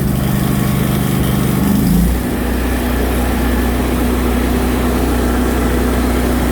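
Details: New Lincoln Ranger 330MPX welder generator, first startup after priming the fuel pump, choke then idle: engine catches, flares briefly, settles to a smooth, steady low idle with no knocks; healthy.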